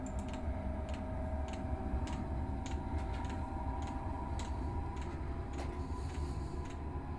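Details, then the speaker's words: Chinese diesel garage heater warming up after the glow plug stage: soft, even ticks about two a second over a low hum as the fuel pump pulses normally. "fuel pump has started making a little clicky noise that's the sound that's the pulse rate you generally get at three"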